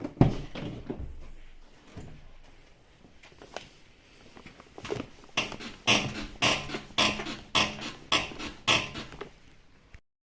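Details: BMW F34 rolling: sharp high squeaks almost twice a second from the rear axle; worn rear wheel bearing housing needing replacement, with spraying oil on it as a temporary fix.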